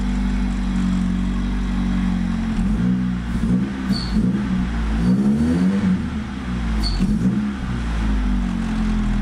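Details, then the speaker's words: Honda EF sedan just after wiring in an OBD0-to-OBD1 adapter and ECU, first start: engine revs in surges that sag and stumble before picking up, clear throttle hesitation. "okay it runs that's great so we definitely have a little issue you could hear the throttle hesitation but no worse"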